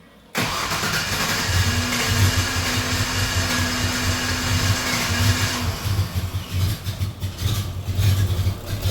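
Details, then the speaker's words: 2004 Ford Ranger 3.0L after a fuel filter change, fuel pressure at about 32 PSI where 50–60 is needed. It starts, but the idle wavers and pulses unevenly. The filter was probably plugged and the weak fuel pump is suspected. "got about 32 PSI on it now. It is a little bit better maybe, but this truck still needs between 50 and 60 PSI."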